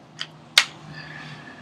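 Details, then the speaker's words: New Ruger 10/22 Tactical with aftermarket Champion magazine, unmodified: two sharp clicks as the magazine rocks back and forth in the well; a raised bump keeps it from seating, magazine loose. "and it's clicking going back and forth like that"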